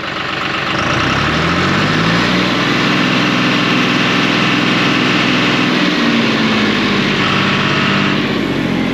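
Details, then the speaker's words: Tractor diesel running warm: whine rises then surges briefly as hydraulics kick in, only once in a while; owner hopes a new hydraulic pump fixes it. "see I can hear whining again like like it's surging it only does it once every so often it's kind of weird"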